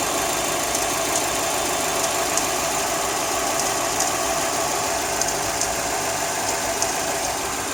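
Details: Hyundai i30 at a steady cold idle with a light, fairly regular ticking, about three a second; the noise appears only when the engine is cold, cause unknown.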